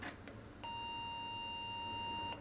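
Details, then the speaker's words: IBM PS/1 2133 486 system with a second 5x86 CPU (rated 133 MHz) pushed faster in an overclock: one long steady beep of nearly two seconds, nothing on screen; failed POST from overclock. "Um, I'm getting nothing on the screen. So, that didn't go too well."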